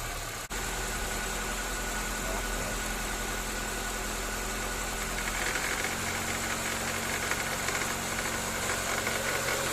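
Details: 2014–2015 9th-gen Honda Civic CVT in Drive, held on the brakes with light throttle at 1300–1500 rpm: an uneven buzzy rattle from the serpentine belt tensioner that stops once warm, caused by a worn belt.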